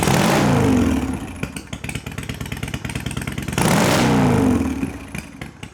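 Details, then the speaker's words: 1993 Harley-Davidson FXDWG Evo V-twin in the shop after carburetor ultrasonic cleaning and adjustment: two crisp blips rising and falling cleanly with a steady lopey idle between them; sounds healthy and responsive, normal idle and rev. "All right. Well, that sounded pretty good to me."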